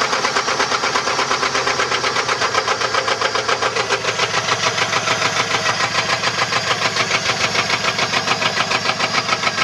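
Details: 1994 Chevrolet LT1 V8 at rough idle: heavy, regular deep knocking about 100 per minute from a bent connecting rod.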